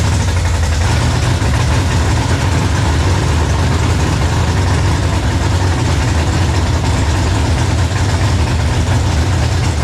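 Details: 1966 Mustang with a 5.0 302 roller V8 on its first start: a steady deep burble holding an even idle after it catches, no misses or knocks; the engine has settled and runs fine.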